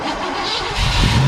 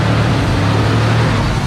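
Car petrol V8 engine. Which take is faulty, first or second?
second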